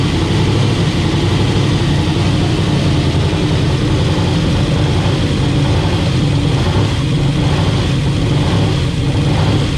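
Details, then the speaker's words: 10.3L (632 ci) supercharged big-block Camaro, first drive day, temp holding 170: deep, loud lumpy V8 idle that hunts as mixture swings rich then lean (about 9.0 to 14.8); rich idle surge after a lean 14.6 idle made it run away. "so it's rich then lean and rich and lean it gets that surge"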